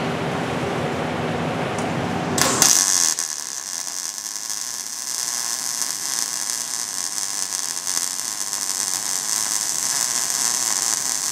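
Even, steady sizzling crackle of a MIG arc running smoothly, like bacon frying, with the wire feed set right.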